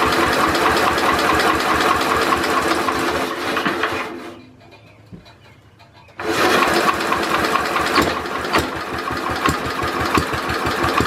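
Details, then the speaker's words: Simplicity Landlord 2010 tractor engine after timing fix and new flywheel key, carburetor untuned; steady knocking about four beats a second, running rough, cutting out briefly and restarting. Owner suspects a rod knock needing a new crank and rod; seal leaking oil. "like I said I think it has a rod na which is not good something sounds a little bit off on the engine which means that I have to get a new crank and a new piston or the connecting rod for the piston"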